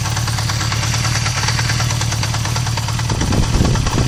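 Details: Recently bought Honda CB 350F idling low, with idle rpm suddenly dropping: a loose, uneven clunking knock mixed into the exhaust beat. Clunking knock at idle, cause unknown.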